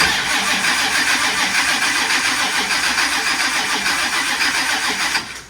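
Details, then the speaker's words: 442 LSX with F-1X ProCharger, ZR1 TR6060, Holley EFI, E85/methanol tune, first start-up dry crank to check belt alignment: steady even starter cranking about 3.5 turns per second, never catches without fuel; healthy cranking. "Okay, we have crank. So now all we need now is fuel."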